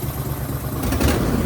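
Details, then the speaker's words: Brand-new 23hp Briggs & Stratton Vanguard twin, revving after a no-spark fault was fixed; smooth rise with deep, muted exhaust from the very quiet muffler, no misses or knocks, normal revving. "But once you rev it up, you hear the sound, which is what I wanted. That's what a muffler should do."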